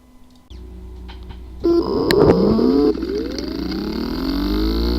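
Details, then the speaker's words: Seagate Backup Plus 1TB 2.5-inch drive (ST1000LM035), not detected: buzzing and clicking with wavering, climbing spin-up tones from a physically damaged disk assembly. "the following is the sound from welcome the hard drive which experienced disk assembly physically damaged"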